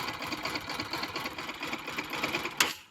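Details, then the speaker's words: Bajaj Pulsar NS200 single-cylinder engine idling with the silencer outlet blocked: a fast, dry metallic rattle from a timing chain that is worn or has a faulty tensioner. "ये timing चैन की आवाज है जो कि मुझे आपके अगर bike में ऐसी आवाज आती है तो समझ जाए कि आपकी टाइमिंग चैन की आवाज है। टाइमिंग चेन या तो खराब हो चुकी है या तो टेंशनर आपकी गाड़ी के खराब है।"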